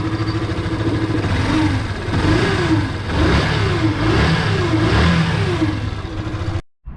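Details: Yamaha FZ (FZ16/2.0/3.0) single-cylinder engine revved in blips gives a rough gritty drone, often mistaken for crank bearings, piston or timing chain; the noise changes drastically when the stator is disconnected, pointing to a burnt stator.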